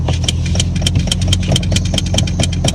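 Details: Neglected Subaru that leaks brake fluid and oil, brake pedal going nearly to the floor; steady low idle with a sharp tick about five or six times a second over it, owner attributes it to the brakes.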